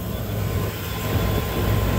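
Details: Rooftop walk-in freezer condensing unit, back up after warranty replacement of failed fan motors, sight glass clear: steady low hum with even fan rush, no rattles, knocks or squeals. Normal smooth running.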